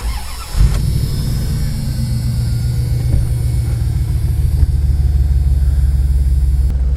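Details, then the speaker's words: Van engine with only about 50 miles on it, idling after start-up; owner is worried about a tiny noise, a faint chuk-chuk tapping, but the idle is fairly even and deep with no obvious knocking; sounds healthy. "So from here it sounds pretty good. I just hear a little chuk chuk chuk chuk chuk chuk chuk chuk. I hear a little tapping."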